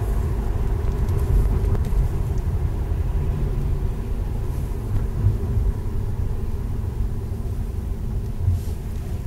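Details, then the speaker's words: Subaru Impreza WRX 5-speed gearbox after center diff bearings were replaced and shafts shimmed: steady low road rumble on the move with no whine rising with speed; normal drivetrain, center diff silent. "this is the center diff bearings haven't been replaced on the new AG WR WRX 5speed gearbox complete silence"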